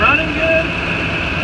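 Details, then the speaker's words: 2008 Ford F-250 after replacing a bad serpentine belt tensioner whose pulley ground: steady even idle with no growl, squeal or chirp from the belt drive; repair successful. "I don't hear the growling noise that I heard the warning and seconds just motor well this is nonsense [Music] look good running"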